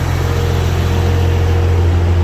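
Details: Barra-swapped Toyota JZX100 on standalone Barra harness, first start after the swap: fired straight up; deep, steady low rumble, even beat, no misses or knocks as the six settles; owner says motor sounds mint. Normal idle.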